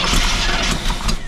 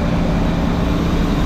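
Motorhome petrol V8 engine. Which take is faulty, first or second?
first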